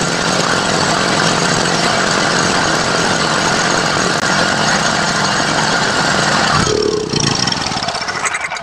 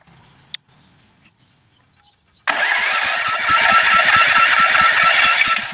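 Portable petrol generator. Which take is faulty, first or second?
second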